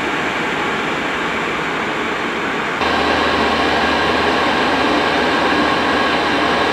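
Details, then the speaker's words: Cheap Chinese diesel night heater from eBay, running after defective fuel filter replaced, at full capacity before cool-down; steady rushing blower and low even hum stepping up and holding: normal full-output running. "so you can hear the entire build up and see when it's working at full capacity it does take a few minutes to go"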